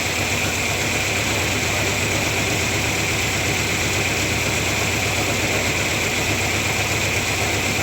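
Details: 1997 Ford Ranger four-cylinder at idle: an uneven, stumbling, irregular beat rather than a smooth steady thrum; rough idle, cause not yet found.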